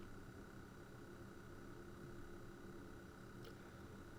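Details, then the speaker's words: Oric-1 computer powered on, connected to a modern TV: faint steady high-pitched buzz coming from the machine itself, not the TV; unclear whether normal or a fault. "a buzzy noise um i initially thought that was coming out of the the sound on the tv but no that's coming out of the machine itself it's making that noise and i don't know whether that's normal or not or maybe we've got a fault"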